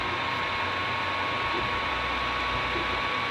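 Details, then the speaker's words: Ender 3 Pro 3D printer with a fan modification: steady airy whoosh with a faint thin tone, no rattle or ticking, from the hot end fan, print fan and power supply fan. Normal cooling fan operation. "You can hear the hot end fan, you can hear the print fan, and you can hear the power supply unit cooling fan."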